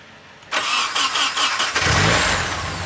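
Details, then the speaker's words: Nissan 240SX with replacement KA24DE (good compression) just swapped in, coolant piping not connected: short crank, catches first try and settles into steady idle, oil pressure good; healthy start. "I can't show it, but sounds good. The motor sounds healthy."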